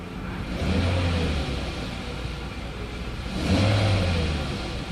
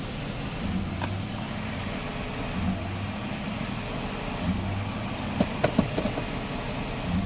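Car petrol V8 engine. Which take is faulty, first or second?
second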